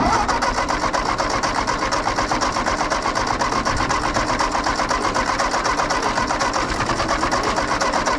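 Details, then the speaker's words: Ford 8N tractor with plugs dried after one was wet, cranked first with the fuel off: a steady, even chug of about four beats a second that never fires. It cranks without starting, suspected of flooding. "I'm still getting nothing I'll turn the gas on and give it a try again that way I guess"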